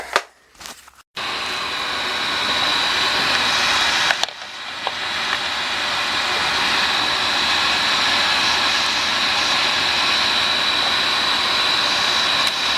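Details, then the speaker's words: Oil burner after new 275-gallon tank, primed pump and freshly changed nozzle, firing up: motor kicks in, then a steady even roar with faint high whistle, no pulsing or sputter; burner firing normally. "There she goes. Let's fire it up."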